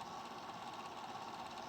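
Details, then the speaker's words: Small cooling fan over a chip on a Golden Tee Fore arcade board on the bench, just got spinning again: steady mid-pitched hum with an uneven, gritty edge; it spins but runs rough. "I mean it's not the greatest now but at least at least we have fan movement now which is great she's a little rough but at least we have at least we have airflow over top of this chip now"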